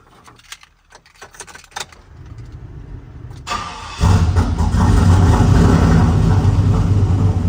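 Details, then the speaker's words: 6-litre LS V8 in an AWD Silverado, first start after installing an FTI 3200 stall torque converter; a few clicks, then it catches into a loud, lumpy idle with a puffing sound; exhaust leak suspected. "I seem to have a pretty good exhaust leak."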